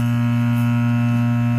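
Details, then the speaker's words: Laney guitar amp: loud steady low buzz-hum traced by tapping the capacitor; cause is a bad capacitor solder joint. "So Ayan oh may hamming ayan pag pukpukin natin yung capacitor mga LS oh oh ayun Ito lang yung problem sir"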